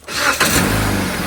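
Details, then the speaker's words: 2011-2017 Jeep Compass just after battery replacement in cold weather: brief crank, catches almost instantly and settles into a steady idle; starts far easier than over the last three days. "All right, so that fired up way easier than it has been in the last 3 days."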